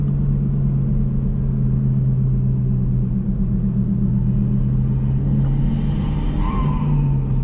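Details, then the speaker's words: Chevy Cruze with a big turbo, after a blow-off valve replaced the diverter valve that caused a high-pitched flute or screech at steady third-gear cruise: a smooth, even rumble with no screech. Turbo running is normal. "it definitely doesn't feel like we lost any power and the blowoff valve is working like a normal blowoff valve actually sounds really good now"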